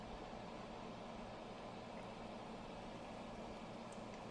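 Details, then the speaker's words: Built-in active cooling fan of a budget 100W COB warm/cool white stage blinder running at a fixed, non-adjusting speed, recorded about a foot away: a soft, even hiss, barely audible at 2 feet; fan operating normally. "So it's not loud in my opinion. I'm about 2 feet away and it's just barely audible."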